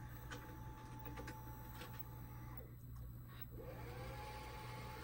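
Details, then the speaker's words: 1992 Shintom VCR450 VHS VCR, second-gen Shintom mechanism, fully recapped, rewinding after an extended-play recording: steady low motor hum with light whirring and a few soft clicks as the tape winds back smoothly; transport working fine. "So hit stop. And the other thing I'll do, yeah, if it's off, I'll put your classic blue screen. So it wind."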